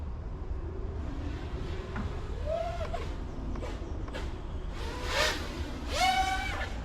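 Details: Sub-250 g 5-inch FPV freestyle quad (2Fiddy) during PID tuning, with P and D gains pushed to maximum: the motors whine up and down cleanly with throttle punches, no rattles, buzzing or oscillation; the quad sounds healthy.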